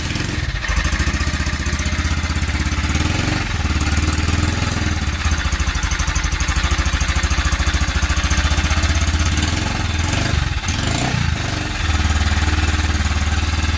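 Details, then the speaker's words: Honda Cargo 150 (CG150) single-cylinder, rebuilt a month earlier with new cylinder, piston, camshaft, valves and timing chain, began clattering after being overloaded uphill; cold idle shows fast metallic top-end clatter like timing chain or guides; found a loose cam sprocket bolt. "Vean, ahí se escucha el sonido. No sé si alcancen a escuchar, pero se escucha como si fuera distribución o las guías estuvieran ya echadas a perder."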